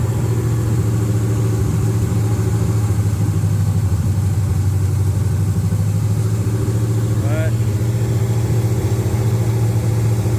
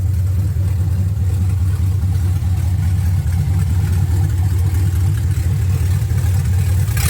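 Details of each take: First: 1979 Camaro LS-swapped V8 after intake replacement (crack found on old intake), before codes were read: low heavy idle with uneven, loping pulse that never smooths out; rough idle, cause not yet pinned down. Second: 1979 Camaro LS-swapped V8, restarted after reading and clearing codes, 158 degrees, no exhaust pipe yet: deep steady burble, even beat, no stumble or knock; idles cleanly, throttle body blade screw still needs slight adjustment.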